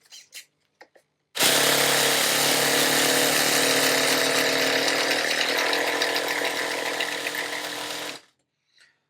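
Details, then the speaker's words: Nitro RC car glow engine after priming with more fuel: a steady high-pitched buzzing whir for about seven seconds on the starter with no firing. It seems very close to starting; the glow plug connection is being checked. "Okay, so that says to me that it's got a little bit of fuel and it's very, very close to starting."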